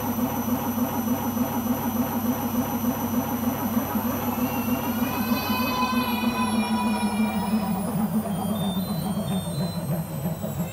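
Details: Beko washing machine during the spin cycle: a deep, steady roar like a lorry rumbling past, with a whine climbing above it; the owner suspects the rubber behind the drum, cause unconfirmed.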